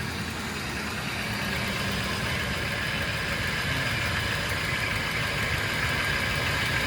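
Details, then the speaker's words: 2004 Ford Explorer at idle after topping up oil: fast, rough metallic top-end rattle over the engine, also pulley noise at front; mechanic suspects oil starvation damage to journals. Cause not confirmed. "That's not what this engine's supposed to sound like. It's like a still rattly sensation going on here."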